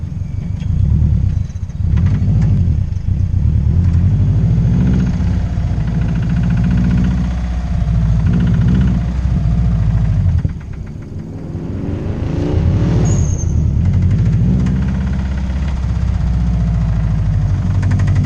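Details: Subaru WRX developed rod knock after a race, later found caused by lack of oil: rough-running engine with deep uneven knock about three to four times a second.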